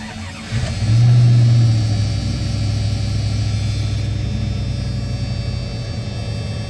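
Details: 1996 Dodge Ram 5.2 V8, just after throttle body cleaning and a new idle air control valve (it used to dip too low off throttle): cranks, catches quickly, flares, then settles to a steady idle slightly higher than before, with no hunting.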